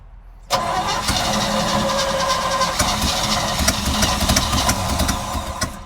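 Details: 1955 Chevy truck that sat 23 years, revived and pumping fresh fuel from its own tank after a new fuel filter: catches after a short crank and settles into an even, steady idle with no stumbles; running normally.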